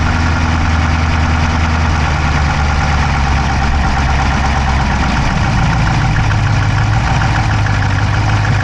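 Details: Dodge Charger Hemi V8 at idle, camera inside the engine bay on the driver's side: fast, light ticking over the deep rumble, keeping pace with the engine; no smoke from the pipes, owner doubts a dropped valve, cause unknown.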